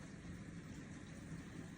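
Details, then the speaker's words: LG direct drive dishwasher after replacing shorted, corroded direct drive motor that tripped the breaker and made noise: steady low hum and water swishing, no grinding or rattling, normal wash cycle. "circulation pump or the direct drive motor is in the dishwasher and it's working like a champ. There is no more issue right here."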